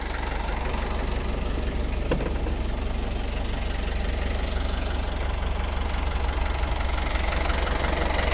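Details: Perkins 4.108M four-cylinder 50 hp marine diesel, unstarted for six years, glow plugs preheated: steady even low idle around 200 beats a minute, no knock or miss; water in exhaust, no smoke, alternator charging; healthy idle.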